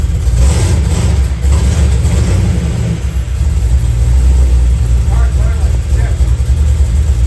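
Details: 1991 Camaro Z28, naturally aspirated 305 TPI V8 with FiTech fuel injection: heavy uneven low burble, won't rev past 2,000 rpm, running super rich; rough running, cause unknown.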